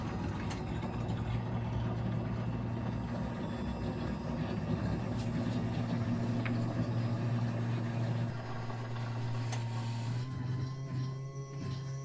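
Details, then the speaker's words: Peugeot 207 CC 1.6 THP, fuel pump emptying a tank of stale fuel via the key: steady low pump hum that steps up to a higher, thinner whine as the tank runs completely dry; fuel pump running dry. "i'll also include a bit of the sound as the tank runs completely dry because you'll hear the pump the pitch of it change and it sort of goes high pitched so the pump sound should be coming any second now"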